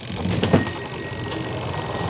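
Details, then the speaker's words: Washing machine spin tub converted to a spin dryer using a second-hand motor: steady, even hum with a faint constant whine and no scraping or knocking. It spins strongly, stronger than an ordinary dryer; normal spin running. "Ayan mga kasipag, ang lakas ng ikot. Tingnan mo ito dito. Ayan po. Ang lakas po ng ikot. Mas malakas siya kaysa sa ordinaryong dryer."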